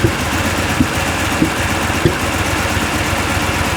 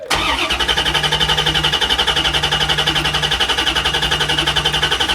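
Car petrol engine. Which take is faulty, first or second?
first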